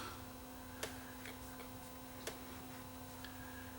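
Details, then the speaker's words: Sony FD20 Watchman flat-CRT portable TV on 6 V tip-negative supply: low hum with sharp isolated clicks from speaker on power-up, draws 0.017 A but no picture; fault unidentified. "when I turn off the switch is drawing nothing so this unit doesn't work I hear I hear click though through the speaker"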